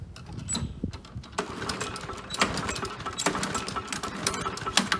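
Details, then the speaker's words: Briggs & Stratton 7.25 hp four-stroke lawnmower engine with no choke or primer, notoriously hard to start: repeated pull-cord strokes turn it over without ever firing; a hard-start engine. "you can get it to start after 20 pulse but it doesn't have a choke doesn't have a primer very hard to start it's a four stroke lawnmower"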